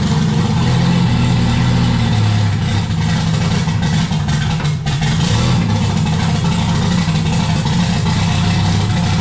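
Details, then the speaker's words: Turbo Jeep on Megasquirt MS3X with 80 lb EV1 injectors, just fired after cam position sensor reset: runs but revs hunt and sag, stalling without throttle input; unstable idle, owners suspect not enough air, idle air control valve came from a long-weathered motor. "alright guys as you can see it's it's running but you have to play with the throttle a little bit to get it to stay running and our theory is it's not getting enough air"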